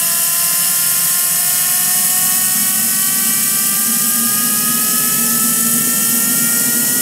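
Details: Home-built 220 lb thrust turbine engine, first run after 2.5 years in storage, air-started, fuel pump on rheostat, no ECU: loud steady rushing roar with clean whistling tones climbing slowly as it spools; runs smoothly like a champ.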